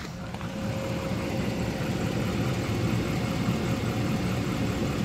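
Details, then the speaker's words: 2011 Dodge Ram 5.7 Hemi after 10–15 minutes of warm-up idling, following a switch away from Castrol oil that had been linked to tapping; smooth, even low rumble with no ticking or tapping, healthy. "all right so i gave it a good 10 15 minutes of uh just idling warming up time and we'll go in and we'll double check for any tapping noises"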